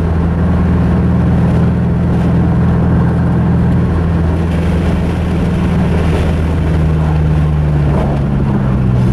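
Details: Mazda 3 after its engine blew on a clutch dump: loud low drone with an uneven lumpy beat and wavering pitch, running rough from internal damage, sounding like a Subaru.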